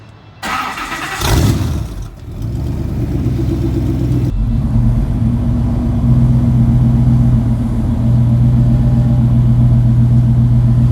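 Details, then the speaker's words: Countach replica engine starting: it cranks, fires and climbs into a smooth, steady idle with an even low rumble, no misses or knocks, a normal start. Owner thinks the oil pressure gauge leads are reversed because it pegged high. "it sounds good. I didn't shoot a spark plug through the side of the block, at least not yet. RPMs are up."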